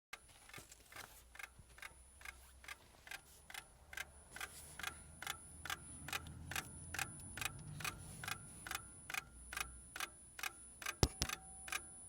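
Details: Lada Priora, cold, engine off with ignition on. A crisp, regular tick about twice a second; the car also starts poorly; source not found.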